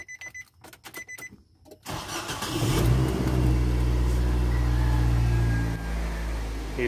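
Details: Nissan Grand Livina with the remote/alarm module locked, started by bypassing the module; a few clicks, then the starter cranks and the engine catches and settles into a steady low idle; starts and runs fine.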